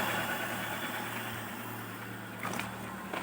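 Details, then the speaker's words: Hyundai Atoz woken after long storage, idle previously wouldn't drop, stepper motor adjusted: quiet, even low hum with no hunting or surging, settling to an estimated 850–900 rpm with no load; kept there so the AC compressor engages. "Iya, RPM bisa turun, nanti kita scan untuk melihat hasil maksimalnya karena tidak ada RPM-nya. Cuman kalau perkiraan saya ini masih sekitar 850 ke 900. Ini kondisi tanpa beban."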